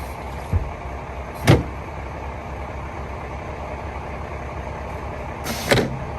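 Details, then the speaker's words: Foretravel motorhome after replacing a Norgren air valve: steady engine idle broken by sudden sharp air bursts at uneven intervals as the valve keeps cycling open and shut, because its air lines were connected backwards. "Well, that was nice and gentle. And now it's opening again. Ouch! Oh, it's going crazy. Opening and closing. What the hell?"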